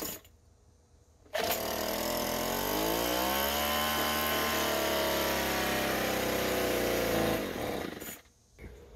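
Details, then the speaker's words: Craftsman two-stroke leaf blower that wouldn't start, fuel present: catches with sudden buzz, rises, sags, holds about six seconds then cuts out; owner thinks not spark but suspects air filter. "right so it ran there for just a second um so i don't think it's a spark issue i think this is an air filter"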